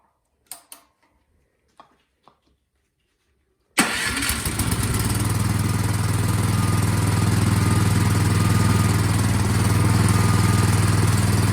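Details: Craftsman snowblower single-cylinder after carburettor cleaning, primed, half choke: catches after a few pulls and settles into a steady, even beat of about four pulses a second, running smoothly.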